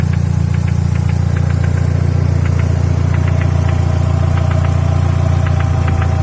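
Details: Mercedes W124 E200 M111 engine, knock sometimes absent, mainly when warm: steady idle with sharp fairly regular tick-knock about two and a half times a second; internal engine knock, source undetermined.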